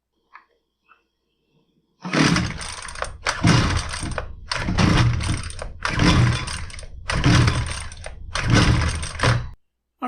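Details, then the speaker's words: Husqvarna 128LDX string trimmer that had been sitting, customer complaint no start: six or seven rough pull-cord strokes about a second apart, each a raspy whirr, no firing; cranks but won't start, spark later confirmed. "we've verified that it does not start."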